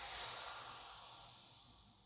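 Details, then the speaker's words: Benjamin CO2 pistol after rebuild: a steady high hiss right after charging that slowly fades as all the CO2 bleeds past a seal that isn't holding. "See? All that CO2 came right out of it."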